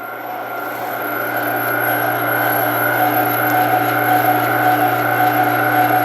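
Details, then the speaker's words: Meat Your Maker 1 HP meat grinder, new, grinding: steady even motor hum with a low drone, no knocks or labouring as it feeds itself without the plunger; healthy running under load. "It's grabbing and it's pushing them through. I didn't have to use the plunger at all."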